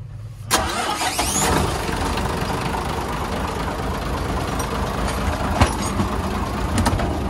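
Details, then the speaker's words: Hyundai 6D16 diesel, after head retorque (80 then 180°), cranks, catches at once and settles to a steady even idle with a clean blip, no knocks or misses. Normal start. "Ok nha mọi người Ok rồi tính ra cái máy này Hên quá không có không có bị lệch tăng rồi"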